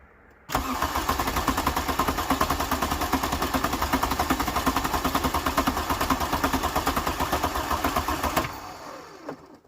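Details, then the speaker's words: 1986 VW Jetta turbo diesel after glow plugs fed through a corroded fuse and warmed: catches at once and settles into steady diesel clatter with even knocks; fast cranking blamed on the large battery, not low compression. "I don't think there's anything wrong with that engine I think that the reason it's cranking fast isn't because it's low on compression it's just that battery's huge"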